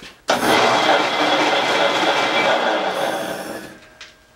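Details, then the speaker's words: 110-year-old Crescent bandsaw with variable-speed gear drive, before conversion to motor and belt: loud, rough whirring roar from start-up that holds steady then winds down, slow at low speed; noisy gear drive. "but really for what cutting bandsaw you kind of just need one speed this gear is really loud demonstration"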